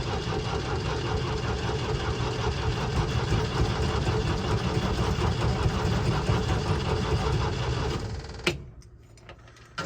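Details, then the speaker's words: 1966 International Scout four-cylinder, plow truck, sat for years, cold weather: engine turns over steadily for about eight seconds without catching, then stops; cranks freely but won't fire, owner suspects no spark. "well sounds good but it might not have spark"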